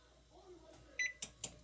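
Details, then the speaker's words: GE range model PB950SF2SS after F20 repair, bake 350 selected: one short beep then crisp relay click with no double beep; oven responding normally. "now the unit is functioning you heard that single beep you heard the relay click and that's it"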